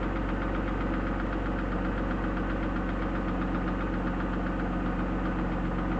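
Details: BMW E36 323i, 1995, M52B25 inline-six, 140,000 km, steady idle: firm even knock about four per second, loudest at front above VANOS; lifters replaced, upper chain tensioner new, lower fine, no metal in oil, no oil-pressure light; cause unconfirmed, crank bearing or timing chain suspected.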